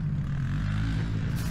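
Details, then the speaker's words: Electric dirt bike (Eride Pro SS) on a trail after loosening an overly tight drive belt: smooth, even low hum with no squeal or chirp. The former squeal at about 8 mph is gone; the owner suspects jackshaft damage, unconfirmed. "Well, I found out my belt was extremely tight. Now there's no more squeal of the belt, and it's actually"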